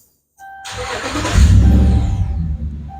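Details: 2011 Dodge Ram, cranks but will not start: the starter churns steadily for a couple of seconds but never catches. The ground checks fine, but the power feed drops about two volts under a loaded-circuit test, traced to a faulty fuel pump relay.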